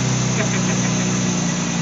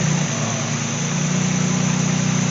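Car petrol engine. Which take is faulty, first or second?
first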